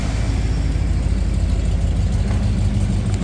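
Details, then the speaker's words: 1994 Ford F-150 with a new muffler and exhaust welded after a leak, heard at the tailpipe: deep, even low rumble with no puffing or ticking at the joints. Normal exhaust note. "my other uh Muffler didn't sound good so I got this sucker and I guess I'll turn it on and I'll let you hear it"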